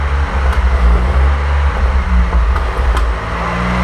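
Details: 1927 Avions Voisin C11 with a 2.3-litre six-cylinder sleeve-valve engine and thermosyphon cooling, on its first start after a rebuild, not run for about 60 years: low, soft, steady running with an even beat and no knocks. Normal running.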